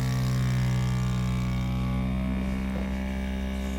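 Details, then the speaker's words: Mini 3D vacuum heat press vacuum pump evacuating a crystal in the tray under the heating pad, set to 190° for 360 seconds: steady, even low hum without knocks or rattles; pulling down normally. "you can see how the crystal is getting vacuumed the temperature should be 190° and the time setting is 360 seconds"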